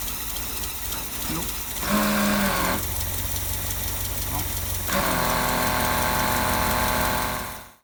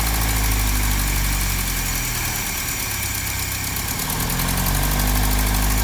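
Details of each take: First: 1955 Land Rover Series One, freshly rebuilt engine after about 50 years stationary: engine catches and runs unevenly for a few seconds, stumbling, then dies. Suspected cause: electric fuel pump bypass overfeeding and flooding the carburettor bowl. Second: 1955 Land Rover Series One with a fully rebuilt engine, first start after sitting about 50 years, with a fresh fuel pump and fuel, carburettor tuned by ear: a steady low rumble with an even beat, no misses or knocks. Normal idle.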